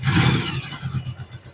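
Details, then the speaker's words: Yamaha Virago 1100 V-twin before valve adjustment and carburetor synchronization: a burst as it catches, then an uneven, lumpy beat that rises and sags. Rough idle, sounds terrible; cause suspected, not confirmed. "how it is It's terrible well then let's start with the synchronization of the carburetors eh"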